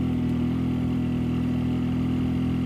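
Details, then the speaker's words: Yamaha motorcycle at wide-open throttle with the air filter removed bogs and falls on its face, engine droning flat and low without gaining revs, only 15 mph even downhill; the dirty/missing filter is contrasted with a new Yamaha filter. "I got a wide open and she's trying trying to go but he can't she's chugging along here look at that 15 miles an hour and that was downhill again downhill why don't you can hear it bogging this is really chewy"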